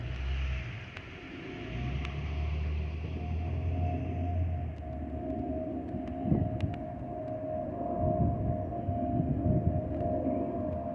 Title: (FIRST FOPP OF 2024) Delta Airlines Airbus A319-114 N318NB DL2427 DFW-DTW (FOPP Whistling Sound)